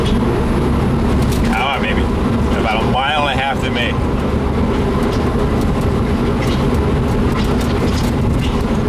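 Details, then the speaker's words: Old lumber truck limping home after overheating its failing transmission, pulling away from a stop: constant heavy growl and gritty rumble with a low hum underneath, a horrible thrashing; points to a failed differential pinion bearing in the rear end. "hear it oh my God it sounds horrible just thrashing the inside of that"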